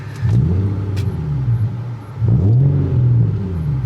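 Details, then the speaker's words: Nissan car with VQ V6 engine and louder aftermarket exhaust, parked, with two quick throttle blips: deep, throaty rumble felt from the rear, normal for this exhaust; baseline before a drive diagnosing a driveline vibration. "they do have a pretty good sound to them so right away I can tell you it definitely has a louder exhaust there's some rumble that you feel out of the back of the car from the exhaust itself so put that in mind"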